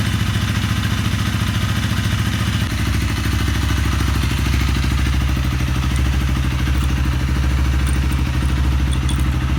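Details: Honda CRF250L (same engine as Rebel 250/CB250R), 3,851 km, after top-end rebuild replacing piston, rings and cylinder; previous noise came from a broken piston ring, blamed on old fuel. Now steady low thumping idle around 160 beats a minute, even, no knock or tapping; healthy.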